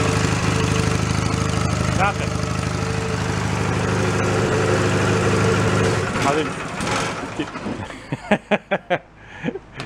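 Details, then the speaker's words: Mid-1980s Snapper riding mower, cold, mower deck off: the engine churns and briefly catches with a rough beat, then dies into scattered clunks. It won't stay running; the owner suspects the lever not staying forward or the starter relay contacts. "stay all the way forward that's why let's go try it again that's the contacts in the starter relay you get so close sometimes"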